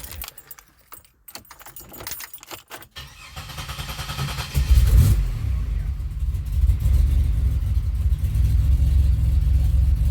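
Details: 2007 Pontiac Grand Prix GT start test after a fuse box swap, which the owner hopes cured its crank-no-start. Keys rattle, then the engine catches quickly and settles into a steady idle with a brief rev; starts and runs normally.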